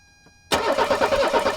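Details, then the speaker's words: 1984 Mercedes 300SD turbo diesel, first start attempt in years: starter kicks in with even rhythmic compression pulses, no firing; injection pump not supplying enough pressure to pop the injectors. "we're not getting enough diesel pressure the uh the injectors just can't quite get there they need more pressure than what they're supplying otherwise they're not going to pop"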